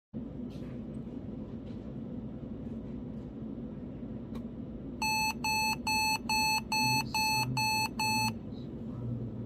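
Eight quick, evenly spaced high beeps ring out over a quiet room hum, a computer's error warning.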